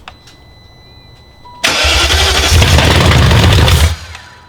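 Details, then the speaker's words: Replacement engine in a BMW E38 at first start on the original engine harness: rough running with a fast clackety top-end clatter of three to four knocks a second over the idle, settling to sound okay. "Pretty clackety. Let it run until it runs. That sounds okay."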